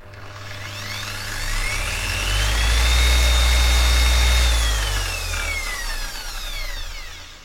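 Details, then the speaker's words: Okatz 720W 150mm dual action polisher: soft start, motor hum climbing smoothly over about 4 to 5 seconds to a steady high whine, holding even, then winding down cleanly; healthy, though a quicker soft start would be preferred. "so dia punya soft start tu menyebabkan bila korang ada letak polish kat sini, bila korang tekan dia tak ada terus zaz terbang semua polish tu, hilang."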